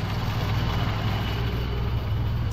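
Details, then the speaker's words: Mitsubishi Lancer 4G13 carbureted engine after tuning (vacuum connections corrected, vacuum leaks sealed, carburetor tuned, distributor timed), idling at low rpm: low, deep, even idle with no misses, knocks or rattles, quiet and smooth; normal idle. "Smooth na yung starting niya, maganda na yung arangkada, maganda na rin yung idle, tahimik na siya. Nasa mababa lang yan, mababa lang yung RPM yan."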